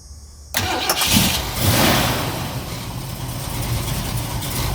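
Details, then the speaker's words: 1969 Ford Mustang Mach 1 during pre-purchase inspection: brief crank, catches at once and settles into a steady, even V8 idle with no misses or knocks, no smoke, not rich or lean; normal cold start. "So here we go. The owner's going to fire it up. Starts right up, sounds good."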